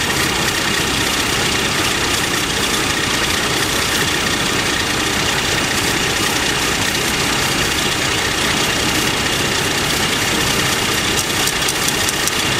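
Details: Warm AMC Eagle engine with a newly fitted carburetor and the electric choke possibly installed backwards. It holds a fast, steady idle that never drops; the owner suspects the choke not releasing and a vacuum leak, possibly at the intake manifold, unconfirmed.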